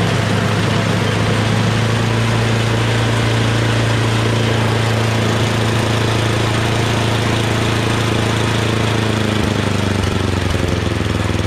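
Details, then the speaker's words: MTD Yardman 8.5 HP 26-inch two-stage snowblower after a quick carburetor clean (clogged pilot jet): single-cylinder engine holds a steady, even idle with a firm low beat, no hunting; it runs well now. "and that's idle that sounds really good so obviously that's what it was pilot jet"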